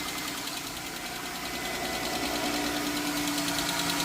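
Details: 3.6L Pentastar V6 (Chrysler/Dodge/Jeep), cold first start in the morning, idling with a fast, light, even tick about three per second; suspected bank one valvetrain (worn rocker arm/cam lobe), aluminum oil cooler also questioned; teardown under extended warranty pending.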